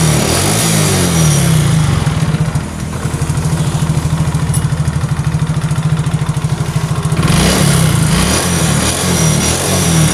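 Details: Yamaha Mio J fuel-injected scooter engine, after finding compression loss from valves leaking due to carbon deposits, now starts and settles into an even, steady putter with clean throttle blips, running properly.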